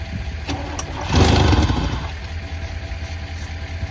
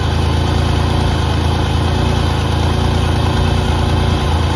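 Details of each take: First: 1988 Pontiac Firebird, 2.8L GM V6, 230,000 miles, unstarted for about 13 years with old fuel still in the tank: a few labored cranks, then it catches with a loud surge into a rough, uneven idle. The starter overcame initial resistance after clicking at first. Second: 1988 Pontiac Firebird with a GM 2.8L V6 and 230,000 miles, first start after sitting about 13 years: a deep, even idle rumble with a steady beat and no knocks or rattles, so it idles normally.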